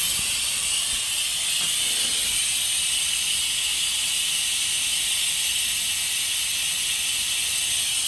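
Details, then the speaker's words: Used air compressor after leak repair and new pressure switch, holding pressure with no leaks, motor off: loud steady hiss of air released at the tank drain with nothing mechanical running underneath. "so let me go ahead and show you on the bottom that she's uh I'm gonna let the air out if I can untighten it with one hand you can hear the air"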